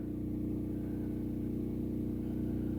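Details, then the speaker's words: Gasoline generator charging a Tesla Cybertruck at 29 amps, load stepped up from 26 with slight voltage drop at 28: steady mid-pitched drone with low, slightly laboured pulse, no speed change; engine struggling near its limit, 30 amps proved too much. "Wow. 29 amps, guys. Okay, it sounds like it's struggling a little bit."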